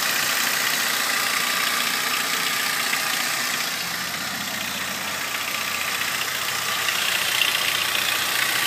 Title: Ford ranger ticking sound